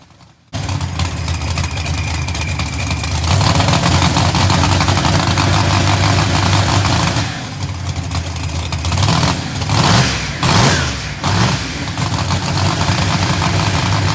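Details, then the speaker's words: GTO V8 after revving and letting off the throttle: rpm rises and falls unevenly as the engine nearly stalls. Idle is set too low on the throttle body, and the owner expects to raise it above 13.50. "the idle set so low on it right now on the throttle body that it's it's trying to kill the motor and it's that's where you guys can hear that rpm kind of going up and down"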